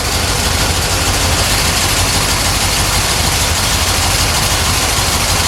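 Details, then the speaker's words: 1970 Corvette C3 with poorly done under-hood upgrades, back running after a no-start: smooth, even idle with a steady low rumble and no ticking, clatter or knocking from the valvetrain; camshaft change unknown. "it's not clattering it's not banging"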